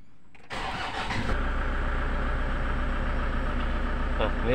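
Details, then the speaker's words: Toyota Innova 2KD diesel after ECU repair and EDU replacement, rail pressure reaching 29,000 kPa: short crank, then it catches cleanly and settles into a steady, even diesel idle with a low rumble. Normal start, restarting easily. "full price-nya 29 eh 29.000 KPA ya teman-teman Nah ini Min sudah bisa hidup m sudah bisa hidup"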